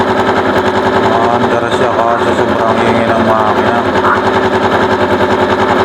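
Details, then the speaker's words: Long-stored Bonus Sport SR small motorcycle, about a year unused, with an overflowing carburetor: engine runs very loud with a harsh grinding scrape like a grinder over the beat, caused by the magneto rotor rubbing; fixed with a replacement magneto. "Okay mga sir ang naging problema base sa checkup na ginawa natin ito siya oh kumakaskas yung Magneto dito sa ano makaskas dito kaya para siyang may kumakayod"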